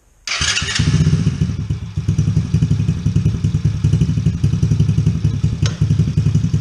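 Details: Coolster 110cc Chinese ATV with a newly installed replacement carburetor, started with a little choke: the small single holds a fast, steady beat without settling; idle set too high before turning the idle screw down.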